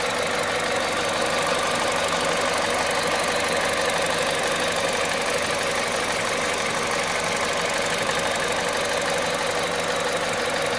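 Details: Cold engine, VTI 120 at 98,500 km: busy, hissy clatter over a steady idle with no clear pattern; noisy when cold, source unclear.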